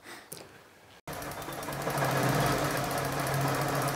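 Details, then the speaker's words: 2000 K11 Nissan Micra Sport, over 85,000 miles, stored ten years, fuel system drained and refilled with fresh fuel: engine catches and settles into a slow, rough, shaky tickover pulsing about four times a second. The idle control valve is suspected but not confirmed. "ooh slow ticking over slow slow idle now that's what it was doing isn't it ticking over shaking"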